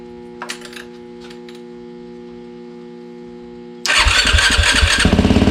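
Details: 2007 Yamaha YFZ 450 after top and bottom end rebuild and new water pump seals and shaft: fires instantly into quick even single-cylinder idle with steady pulses; no coolant leaks, runs clean.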